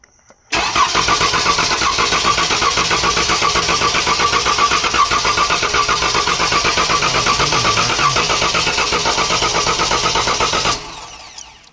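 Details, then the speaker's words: 2014 Dodge Durango 3.6L with P0304 cylinder 4 misfire, clear-flood crank: about four beats a second with one weaker uneven stroke; low compression, leakdown test at 70 psi shows leaking valve, cam followers fine. "okay guys so I put my leakdown tester in here and uh we got to set at like 70 PSI look at this um usually I see chew up cam shafts not leaking valves but look at this"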